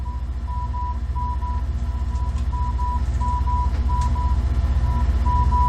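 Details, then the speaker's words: AALogic cable fault locator receiver tracing an aerial resistive cable fault at 987 Hz: a steady beep pulses about four times a second over low rumble, a lower-pitch baseline tone at about 42% signal before moving along the cable. "you can hear that this tone is a lower pitch and you can see that we have a nice baseline tone to check with this is showing about 42%"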